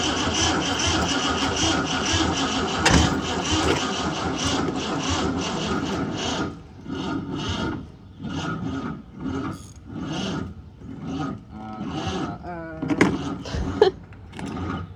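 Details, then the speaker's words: Ford Mustang Fox body on a second start attempt, trickle-charged battery, choke function unknown: engine catches briefly, then a harsh continuous starter whine keeps going on its own; starter stays engaged, welded solenoid. "Well, that wasn't good. I thought it was running for a second. Holy shit. I was like, why is it whining so bad?"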